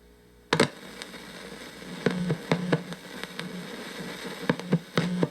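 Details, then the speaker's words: Fender Blues Deluxe hybrid tube amp, brought in for a power issue, before the fix: steady low hum with hiss and random crackly pops, traced to a bad first-stage 12AX7 preamp tube, with the noise in the tube itself. "wow that is a big difference on the first stage the night end day we got a bad tube"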